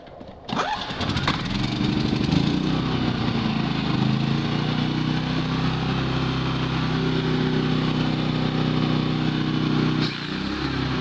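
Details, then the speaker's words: Champion 3100 inverter generator after replacing the faulty control unit/module, which had left it running rough. It starts at once and holds a steady, even, quiet hum through brief load changes, now running normally. "okay so had the saws all working out and everything's working now so that's a good score a nice quiet little generator that i'll be able to use for a backup here"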